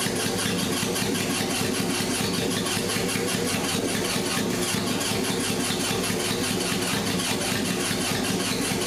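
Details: 1978 Honda CB750K barn find after engine rebuild and sitting many years, plug wire repaired, on choke: fast ragged cranking and uneven catching that never settles to a clean idle; rough running, cause unconfirmed.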